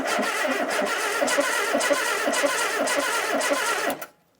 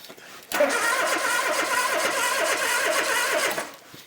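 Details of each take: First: 1972 Ford Capri Mk1 barn find, stored since the early 1980s, cranked by bridging the starter with plugs in and no fuel; even, rhythmic chuffing about three beats a second, compression sounding balanced; no spark yet. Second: 1972 Ford Capri Mk1 barn find, sat since the early 1980s, cranking with plugs in and no fuel: steady, even cranking for about three seconds with no firing; voltage reaches the points but there is no spark, dirty contact breaker points suspected.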